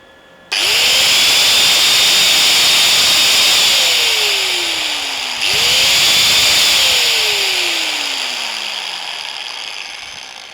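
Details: DOLIZ BA730 angle grinder, 720 W, 220 V, 12,000 rpm no-load, repeat test: two starts climbing fast to steady high rush then coasting down each time; healthy normal no-load run.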